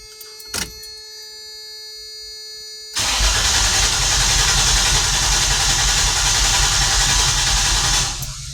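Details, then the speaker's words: 1994 Toyota T100 cranked with the plugs installed and ignition disabled to listen for the missing cylinder heard earlier: steady, even chug about three beats a second, no uneven beat. Sounds normal and compression is balanced. "That sounds normal. Why was it missing on one? Huh."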